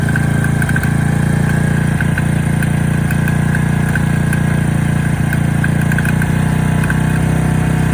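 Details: Honda Benly 50S: small single idling with a light, uneven knock about three times a second; crankshaft play, noise apparently cured by replacing the crankshaft.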